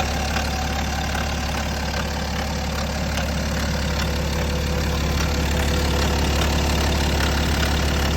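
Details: BMW N57 diesel at idle: steady rattle about three times a second over the diesel clatter; timing chain noise suspected, not confirmed.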